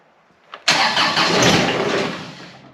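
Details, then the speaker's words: John Deere X758 diesel being started after an air and fuel filter change: a short blip, then it cranks and briefly roars before fading out without holding speed. The expected hiccup after the filter change, a hard start. "So I'm assuming we're gonna get a little bit of a hiccup, but we'll see here. Alright. I kind of figured that was gonna happen."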